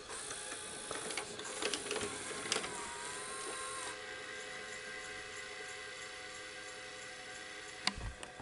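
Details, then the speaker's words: Daewoo VHS VCR after replacing a capacitor: soft whirring and clicks as the tape threads, then a quiet steady transport hum, now at the right speed. Normal tape load and playback. "there we go she's working she's fixed fantastic so the capacitor has done the trick because the capacitor is now running that capacitor was replaced is now running at the right speed"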